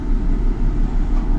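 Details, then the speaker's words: 2004 Mustang (one-piece coil assembly) running rough with a check engine light after front-end and ball joint work: lumpy idle stumbling several times a second. The power balance test shows a cylinder 2 misfire (P0302). "Cylinder 2 misfire, so that means it probably has a P0302 code. Now I'll go out to codes and we'll see what we get. Ooh, it's running bad."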